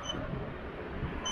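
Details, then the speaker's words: King Song KS16X electric unicycle on first ride after mainboard replacement, at about 5 speed: two short high beeps a second apart over low rolling rumble at walking pace; speed alarm beeping at low speed. "can you hear those beeps so i'm hitting the beeps guys i'm going like five i just don't get it"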